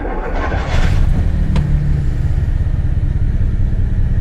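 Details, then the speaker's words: Carbureted Jaguar V12 (XJ12) just started with a little choke after sitting 6 years: low, lumpy, uneven pulse. It is misfiring and running on about 7 of 12 cylinders, with only one fuel pump working; ignition/compression still to be checked. "So let me just fire it up. You can hear what it sounds like. That's not running on all cylinders."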